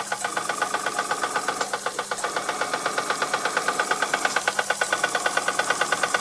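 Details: Unknown Bing toy steam engine, former non-runner, test run on air after resoldering the steam pipe to the boiler and repairing piston, cylinder and frame: crisp even chuffs about three per second, steady and unbroken, no binding; running normally.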